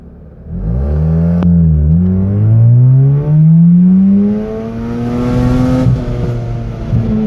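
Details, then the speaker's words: Mazda RX-8 rotary under 75–90% throttle from stop signs: revs climb, then stumble and briefly lose power before pulling again, sometimes stalling; fine below 50% throttle. Misfire with fuel cut; coils recent, plugs and wires unchanged; owner suspects ignition or fuel. "did it again another misfire pulling back in driveway"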